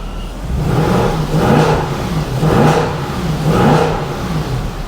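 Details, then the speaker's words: Mercedes W204 C63 AMG M156 V8 after cylinder head/camshaft-wear rebuild, warm at full operating temperature, blipped to about 2,000 then 3,000 rpm: clean even rise and fall, no tapping or misfire; normal revving. "and for anyone saying don't do that that was 3,000 RPM we're going to get to 3,000 RPM on the road test"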